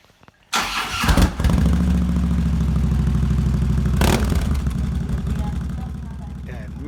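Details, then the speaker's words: Harley-Davidson Electra Glide after a proper repair of a hole at the bottom of the exhaust pipe: it fires up and settles into a steady, even potato-potato idle with no puffing or ticking; the exhaust sounds sealed and normal. "Man, does that sound nice. No more pa of air going through or exhaust going through that hole at the bottom of the pipe."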